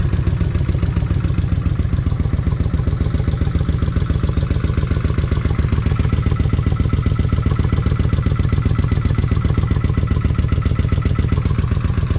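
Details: Kawasaki Vulcan 1600 V-twin after new injectors fixed a wet-plug problem: even, regular idle thump, no stumbles or misfires; runs better than ever, though a faint fuel pump noise remains.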